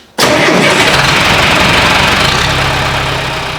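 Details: John Deere tractor diesel with CAV injection pump after fuel filter replacement, fuel system bleeding, new hoses, oil and coolant: fires instantly and settles into a steady, even diesel clatter with no misses or knocks; running well.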